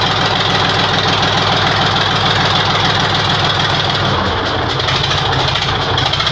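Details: YaMZ-236 diesel engine at first start after a rebuild. Loud, steady idle with a rough, low rumbling chug and a hard knock in the beat, running evenly.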